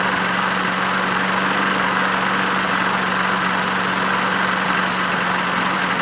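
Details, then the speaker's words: Craftsman push mower, Briggs 6.75 Quantum auto-choke engine, first run after winter storage: steady buzzing drone with ragged uneven beat, runs rough and rich as if stuck on choke; primer hole to Welch plug suspected vacuum leak, carburetor fault. "honestly that sounds just like that one doesn't sound very good"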